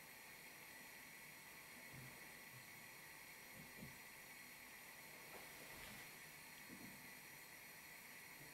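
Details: 1935-1940 Tilley TL14 pressure lamp burning on its mantle, previously run hours non-stop without problems: soft even steady hiss with no sputter or surging; normal clean burning.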